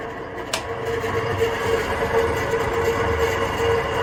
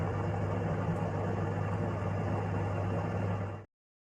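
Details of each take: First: Kitchen sirocco ventilation fan over 20 years old, run continuously against condensation, sometimes stopping; steady drone with rough scratchy rattle and faint whine, noise varying by day (loud or metallic); motor suspected worn, before oiling the motor. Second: Kitchen sirocco-type range hood fan over 20 years old, after cleaning and oiling the motor to cure intermittent loud and metallic noises and occasional stopping: steady low hum with smooth even whoosh, no rubbing or ticking, cuts off cleanly: normal running.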